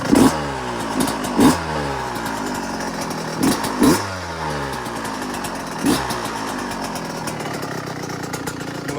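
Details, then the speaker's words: Yamaha YZ125 two-stroke after top-end rebuild, started in three kicks and warming up before a ride: crisp even idle with quick throttle blips rising and falling cleanly, no knocks or rattles. Normal warm-up idle. "let it warm up for a little bit then I'll take it on a little ride"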